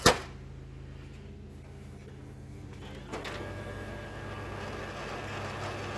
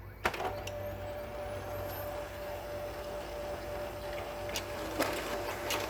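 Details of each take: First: M602 printer with a known-good cartridge, in the machine without problems; steady motor hum, then several seconds of even whirring and feeding as the page runs through, no weird noise while warming up; normal printer operation. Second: Problem M602 printer warming up with a cartridge that works in another machine: steady mid-pitched motor whir with sharp clicks as the feed stalls; jams at the toner cartridge, suspected drum-rotation engagement fault. Paper jam noise.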